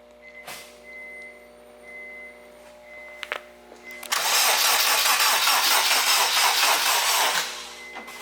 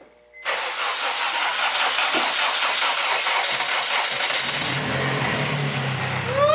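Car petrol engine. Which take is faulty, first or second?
first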